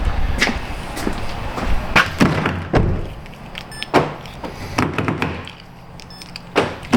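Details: 2011 Kia Sorento LX after fix for doors not unlocking except driver's: crisp, solid clunks at uneven intervals as locks cycle, no grinding or buzzing; actuators healthy, power locks normal.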